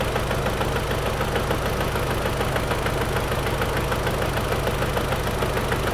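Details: 2003 Audi TT petrol engine at idle, rough lumpy misfire with recurring stumble about three times a second, engine rocking; codes P0300 and P0302, cylinder 2 misfire, coil pack tested; a knock suspected possibly flywheel.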